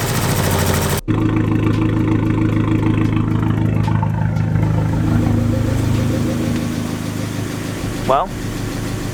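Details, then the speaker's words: Fiat 500 Abarth after a 124 MultiAir valve spring upgrade, oil-primed through the MultiAir system: steady, even idle with a smooth low hum and no misses or knocks, running normal. A check engine light is on, possibly from unplugging things. "running normal now I got a check engine light so I'm gonna check the scanner and just see what it is it could just be something from unplugging a lot"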